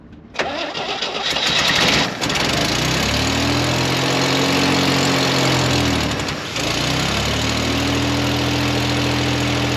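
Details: 1969 Jeepster Commando after tune-up: catches after short crank, steady idle with blip; carburetor still off, possible vacuum leak suspected, apparent exhaust leak on one side, oil residue burning off manifolds.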